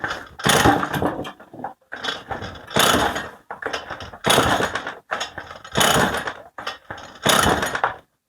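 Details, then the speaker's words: Stihl MS 181 C chainsaw with soft-start (ErgoStart) and two-chamber Euro-standard carburetor: six rasping recoil pulls without firing; only starts when fuel is dripped in. Suspected seals, clogged carburetor or filter, or faulty accelerator pump; not confirmed. "Ось він не заводиться заводиться але тільки коли залию бензину ось тут капну пару капель"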